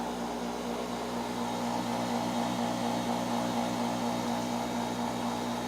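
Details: Farm well-drilling rig's water pump running during drilling past 40 feet: steady, even low hum with constant pitch and no knocks or surging; pump running normally.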